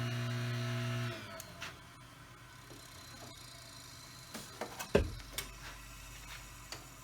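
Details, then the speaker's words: Single-phase AC induction motor after bearing replacement, test run before refitting the fan: hums evenly for a second then spins down quietly with no grinding or rumble, much quieter than before; normal motor run. "i'll start it up and just make sure that everything works well and see what it sounds like it's a nice nice and quiet that's good"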